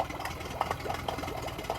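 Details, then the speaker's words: Yamaha 9.9 hp four-stroke outboard in a test tank, only running with choke out: weak uneven idle with stumbles, near stalling; fuel starvation, primer bulb not decompressing and no fuel getting through. "sounds like it's just about idling. But yeah, it's all about the fuel. There's no fuel getting through."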